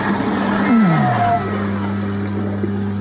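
The motor spins up and settles into a steady, even hum with some water sloshing and no knocking or rattling; the unit sounds healthy.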